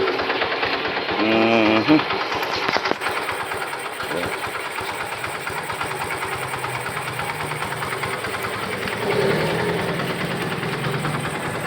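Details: Yamaha FZ16 150 carbureted motorcycle after fixing hard starting by adjusting the carb fuel-air mixture: steady single-cylinder putter at idle, even beat with no misses, pops or knocks; mixture right, engine healthy.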